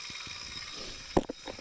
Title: Wahoo Kickr core ticking noise